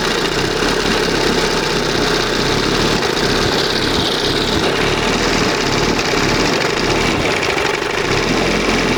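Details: 1971 20 hp Johnson two-stroke outboard, after dremeling the throttle cam: runs at steady speed with rough, crackly note and occasional pops, mixture set too lean; later turned back slightly.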